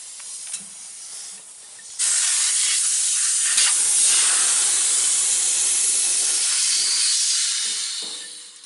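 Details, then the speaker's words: Freedom Hauler / Idaho Tote trailer air line being filled after a fitting was replaced: loud, steady high hiss as air still escapes; a small tear in the fitting's seal is found, needing a new seal. "hear it filling it's still leaking it's still leaking"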